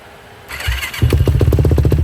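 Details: 2007 Yamaha YFZ450, carbureted, sat a few months, cold start after a couple of accelerator-pump shots: quiet, then starter, then the single fires and settles into a quick, even thump; normal cold start.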